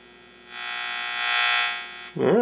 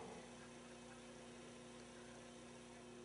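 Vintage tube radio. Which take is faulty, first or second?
second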